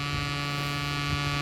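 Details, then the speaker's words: Sound Bridge SB-3500 DP amplifier, cover open, feeding a small speaker: a steady low mains hum from a factory driver-board fault. It was fitted with 2200 µF 25 V filter capacitors where about 1025 µF should have been used. "Friends sound వస్తుంది, విన్నారా? ఈ sound పోవాలంటే friends actually ఏంటంటే ఇది మ్యానుఫ్యాక్చరింగ్లోనే complaint ఉంది."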